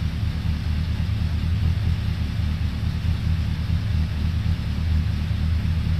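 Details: 2002 Suzuki Bandit 1200S, stage-three jetting with pod filters, after fixing fuel overflow for a won't-stay-running complaint, not yet warmed up, mic moved further away: deep, even four-cylinder burble, steady with no misses, hunting or stumbles; normal idle.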